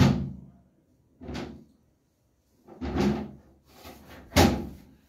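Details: Door after its squeaking hinges were greased: a few soft opening and closing thumps with no squeak or creak between them. The hinges are quiet and free.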